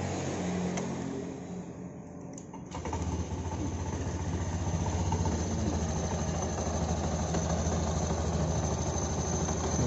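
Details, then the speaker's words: Honda Genio scooter at idle after start-up: steady clatter (klotok-klotok) two or three times a second plus faint metallic jingle (krincing) from the rear CVT; CVT rattle and knock, suspected loose ring on the clutch, not confirmed. "Honda Genio ini ada masalah pada bagian CVT nya ini ada dua suara yang pertama suara krincing krincing di pakaian belakang ini untuk yang kedua suaranya klotok-klotok"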